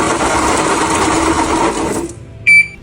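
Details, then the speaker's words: Motorcycle engine at 23,000 km idling with a dense, harsh metallic clatter from excessive play in a crankshaft bearing worn to pieces; oil black like mud and leaking badly; rebuilt with new crankshaft bearings, piston rings and lapped valves. "A sound like this is clearly caused by excessive play in the bearings. That’s what’s producing this noise."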